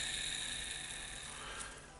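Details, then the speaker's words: Ball bearing on the armature of a Hitachi DH40MR SDS-max hammer drill, spun by hand: a thin, high, hissing whir that slowly fades. The bearing is dry and lacks grease but does not wobble, so it will be regreased. "it's dry without the grease is not wobbling so we can grease it with a ball bearing grease"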